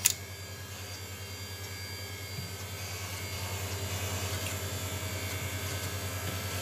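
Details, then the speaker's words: Apple floppy drive from a Macintosh Quadra 700, reassembled with the motor from another drive, reading a MacOS install disk: quiet steady motor hum with soft regular head-stepping ticks; reads normally and the disk then ejects. "floppy appears on the Mac, I have a window on the screen to launch the installation"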